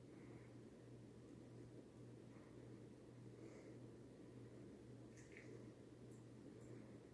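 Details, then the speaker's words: Circa-1987 Homestead Universal 52-inch ceiling fan by Firebird, four blades: quiet steady motor hum with light irregular ticks every second or two as the pull chain taps the finial below the fan. "that click the sound that's the mulching beaten up against the that little finial right there below the class"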